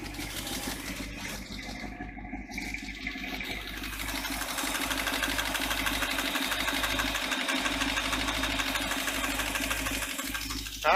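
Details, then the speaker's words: Newly built twin-supercharged 350 V8: fast, uneven clicking at idle, about three a second, over the exhaust. The valves were re-adjusted afterward, which removed the click; a faint rod knock then appeared as the rpm was raised. "i can't really tell what the rpm's at but it sounds like there's something not right in there yeah i hear it clicking and clacking them"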